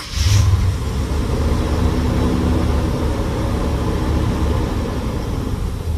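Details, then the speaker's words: GMC 3500 V8 truck with a Quadrajet carburetor, all eight new spark plugs gapped at .045, jump-started: catches and settles into a steady, even low rumble with no misses; running very well. "that is awesome guys this truck is running very good now with the quadro junk on there"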